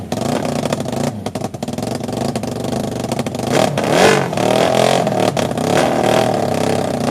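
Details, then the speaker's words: Half-scale NASCAR kart with a 750cc four-cylinder motorcycle engine, left outside four years, first start on temporary fixes; water blew from the exhaust. Surges and stumbles, running only on starter fluid. Not getting fuel; carburetors suspected clogged, gas tank shot. "so what this thing told me was it's not getting fuel um these carburetors are probably really clogged up"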